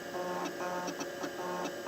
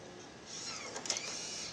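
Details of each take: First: but now it is actually starting up off the floppy disc and it makes a gnarly Second: Macintosh LC III floppy drive during OS install: quiet whirring with scratchy ticks and clicks of the head stepping back and forth, repeatedly retrying reads; install disks believed shot.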